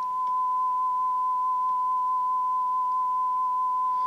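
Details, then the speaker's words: NAD 6155 cassette deck playing a test tone near 1 kHz on a low-quality, possibly eBay drive belt that came with it, visibly wobbling and uneven in width: pitch wavers — wow and flutter from worn belt, replacement planned. "this must be one of these ebay belts because it sounds terrible [Music] you can hear it wobbling you can see it wobbling too"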